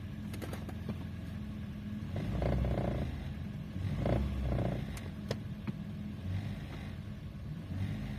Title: What problem could be the rattling sound?